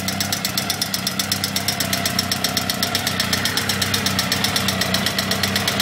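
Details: Honda CBR1000F SC21 at idle: fast, even metallic rattle about four per second from the top end; owner suspects a faulty cam chain tensioner, says timing chain is fine; source not yet pinned down.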